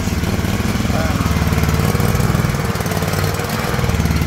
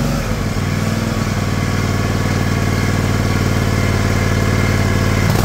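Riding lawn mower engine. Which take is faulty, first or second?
first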